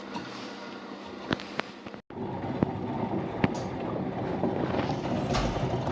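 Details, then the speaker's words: LG washing machine humming during spin, rough steady rumble with scattered clicks from the drum; water leaked into the worn drum bearings. "Стрелял машинка LG, при отжиме гудит. Вот проблема с барабаном подшипник."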